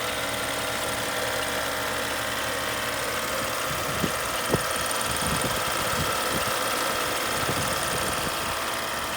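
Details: 2013 BMW X5 idling with the A/C or heater blower running: a steady, thin buzz and hum from under the hood, and the cause is not pinned down.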